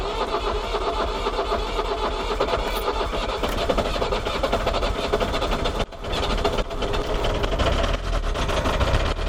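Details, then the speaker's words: Iveco 35-8 diesel van. Loud diesel clatter with a heavy metallic knock began suddenly while driving cold, with reduced power; the owner suspects a spun connecting rod bearing; engine knocking. "Voilà, pas très agréable comme bruit, hein. Voilà, il a fait ce bruit."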